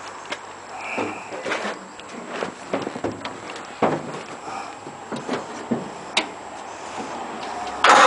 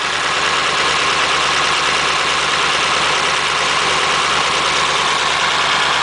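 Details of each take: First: Model A roadster on '32 rails with 276-inch flathead V8, parked outside about 18 months, cold: scattered cranking clicks and light knocks, then it catches abruptly into a loud rough run after choke is put on one carb. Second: 276-inch flathead V8 in a Model A roadster on '32 rails, just restarted after about 18 months parked outside, cold on choke: steady, even idle with a smooth hiss, no knocks, misses or ticks while warming.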